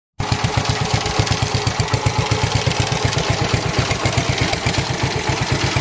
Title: Engine knocking Noise